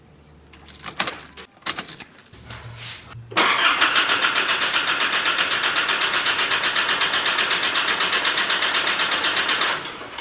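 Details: RC Colorado 4JJ1 common-rail diesel on its first start after an intake manifold clean and reassembly: brief cranking, then it catches promptly and settles into a steady, even idle with a regular clatter and no misses.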